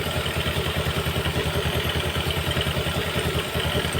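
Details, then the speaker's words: Yamaha Jupiter MX single-cylinder after replacing the damaged piston/cylinder block parts that caused a kletek knocking; original connecting rod kept: even thumping idle, no knock or clatter; very smooth, healthy idle after repair. "halus sangat halus Coba kita [Musik] Geb begitu halus motornya"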